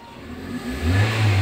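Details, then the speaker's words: 2003 Toyota Vios revved before carbon-cleaning treatment, idle about 800 rpm; reported heavy knocking, rpm drop with AC, sluggish pull: revs climb slowly and heavily from a low rumble, never snapping up freely, pointing to carbon deposits. "naiknya tuh terasa berat nih mobil ini. Nah, itu kendalanya, ngelitik berat, RPM ngedrop kalau pas hidup AC."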